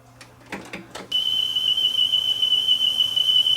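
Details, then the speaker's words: Sony TC-WE405 cassette deck, deck A playing a test tone: high steady tone with slight wavering pitch after handling clicks; bad wow and flutter, worn belts on its single-motor mechanism suspected. "Houston, we have a wow and flutter problem. Maybe that's the problem. It's got bad wow and flutter."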